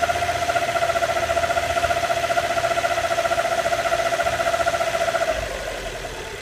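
Steady mid-pitched whine pulsing about four times a second over the idle, fading near the end; source can't be pinned down.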